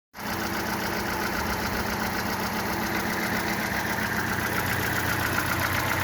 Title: Fiat Palio 1.2L petrol engine misfire problem and solutions